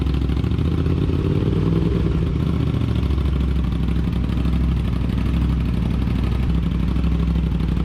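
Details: Aprilia RS 660 just after DNA air filter install: firm even low idle swelling smoothly with light throttle and settling back, no misfires or rattles; running properly.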